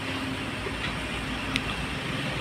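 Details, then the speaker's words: Maruti Swift after gear linkage repair kit fitted for gears not engaging: even rolling with steady drivetrain noise in first gear, no clunks or grinding. Reverse also works. Gears engage normally. "देखिए, पहली gear में गाड़ी कितनी आसानी से चलती है।"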